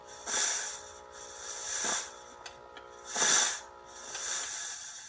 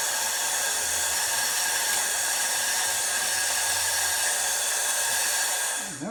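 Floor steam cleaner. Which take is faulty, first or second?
second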